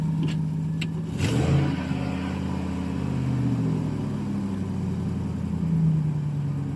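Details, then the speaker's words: 2010 Chevy Silverado after throttle body cleaning, TPS replacement and relearn for P2135 reduced power: engine flares after start then holds steady raised idle, unusually staying revved; high idle, cause unconfirmed. "That's interesting. It doesn't usually stay revved up like that."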